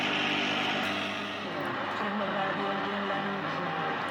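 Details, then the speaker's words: General Electric GE-260 tube radio under restoration plays buried in loud steady hiss, hum and crackle; slightly better fed from a modern diode bridge, the two selenium rectifiers are suspected faulty, probably needs more filtering. "sigue sonando espantosa. Ha mejorado algo porque lo estoy alimentando directamente con un puente de diodos moderno. No deben estar funcionando muy bien los dos rectificadores de selenio que tiene. El zumbador apenas se oye, tiene muchísimo ruido."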